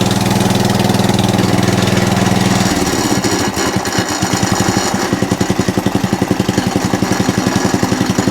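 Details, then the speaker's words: Atco Balmoral cylinder mower after the drive pulley was adjusted in: a steady engine with an even beat and no chatter or clatter from the belt and pulleys. The drive works, though it's the wrong belt. "there you go no chatter now so we'll tighten that up does the drive still work yep lovely any chattering here"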